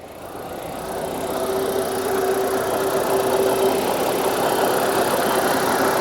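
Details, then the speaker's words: 2000 Mitsubishi Carisma GDI Elegance petrol, 69,237 miles, first start on a jump pack, heard in the engine bay: even, smooth idle with a faint light tick and no knocks or misses; engine sounds healthy. "Sounds all right, doesn't it? Sounds fine. In fact, that sounds really nice."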